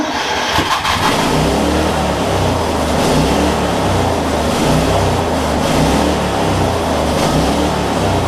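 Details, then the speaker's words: Circa-2015 Snapper rear-engine rider with push-mower-type engine, barely used and long stored, after carb clean and fresh fuel: cranks, catches and runs at steady even throttle with a regular putter, no misses, smoothing out; thought to need run time; normal running. "uh getting better starting to smooth out some that's good um honestly i think this thing just needs some run time"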